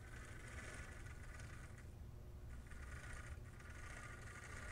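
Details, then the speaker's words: Vintage Varney HO-scale Union Pacific F3 locomotive, unsold and unrun for about 50–60 years, now running after chassis repairs: quiet, steady motor whir with light gear rattle at slow speed, no stutter or stalling; normal. "it's not perfect, but I wouldn't call that bad. It's not stalling or anything, so that's pretty nice."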